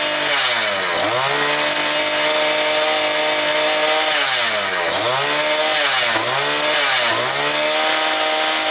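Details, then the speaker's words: New two-stroke brush cutter that would not start, now running at about 9400 rpm. High, buzzy scream holds near full revs, dips and climbs back cleanly: running normally. "Так, 9400 накрутила, а ми її ще 400 додамо або 300. Трошки ще веселіше ж хай піде і все буде добре. Так що вроде працює, правда?"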